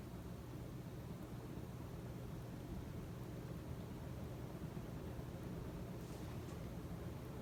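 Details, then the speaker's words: Casablanca S3 ceiling fan (2002, 188mm x 20mm motor) on high after capacitor replacement, back up to speed: steady even rush of air over a low smooth hum, no ticks or wobble; normal running. "Yup, you can see that it's back up to speed!"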